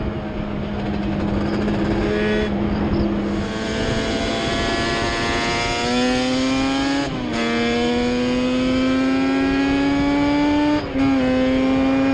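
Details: Yamaha Banshee two-stroke twin ATV on a ride after misfire chase (new plug caps, coil swap didn't cure it): carb needles moved back to middle position, pulling up cleanly through the gears, pitch rising each shift, no stutter; miss gone, running normally.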